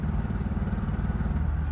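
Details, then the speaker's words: Triumph TR4A under full throttle in 4th: low note pulses and stumbles, stuttering and not gaining revs beyond about 3,000 rpm while 1st and 2nd reached 4,000; cause unknown. "now I'm full throttle and she's just stuttering it's weird because in first and second it went up to 4,000 RPM but in Fort look I'm full troto just barely goes above 3,000 RPM"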